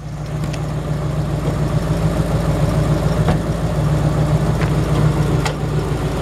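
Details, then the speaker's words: 1973 Camaro, driver-restored, mild rebuild with small cam, headers: lumpy V8 idle with faint puffing tick about three per second; suspected exhaust leak at left-side header collector gasket. "Like I said, you can hear that exhaust leak just right here. It's that collector gasket, is what I think it is."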